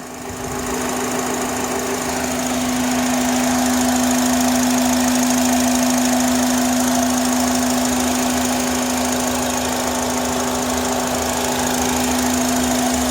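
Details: 2005 Honda Accord 4-cylinder at idle: steady droning mid-pitch hum or whistle, louder near the throttle body, stops when a vacuum piece is removed; owner suspects vacuum, throttle body or manifold; present cold or hot, louder around 30 mph; cause unknown.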